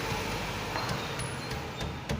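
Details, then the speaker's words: Renault rolling over bumps after tightening a loose crankcase protector (skid plate) bolt with a 10 mm wrench: steady low rumble and soft bumps, no metallic rattle underneath; noise fixed without replacing parts. "resolvido o problema então é isso galera às vezes é uma coisa simples não precisa trocar peça é só um ajuste ali de um parafuso"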